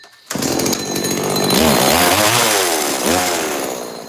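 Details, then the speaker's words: Neotec NS832 chainsaw: starts right up but revs rise then sag and waver when the trigger is pulled, weak and bogging under throttle; owner suspects a carb problem, possibly flooding or a screw in the carb, not confirmed. "I was pulling the trigger, and man, that's got to be a carb problem. Maybe it's flooding itself somehow."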